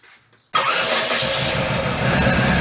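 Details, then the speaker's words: Daewoo Lacetti with electronic throttle, which shakes and stalls when hot: starts and idles with an uneven, stumbling beat and periodic misses; a misfire, with cylinder 3 dropping out on the scope, and the mechanic suspects timing or compression. "Мы слышим, что двигатель работает с перебоями."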